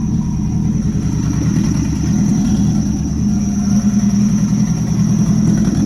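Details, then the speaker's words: Rebuilt Nissan Juke project, first runs after the build: a steady, even low rumble as the engine idles on its own while warming up, with no stumble or tapping. The air-fuel readout was not displaying, and a small oil leak was noted. "but it's running on its own that's exciting engine's warming up"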